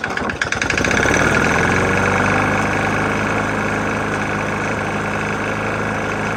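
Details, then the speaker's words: Murray mower with Briggs & Stratton E450 engine found almost out of oil, topped off: hard regular knock about four times a second over the exhaust while running steadily; bad bottom-end knock. "Got a Murray E450 Briggs on there. Engine's knocking pretty bad."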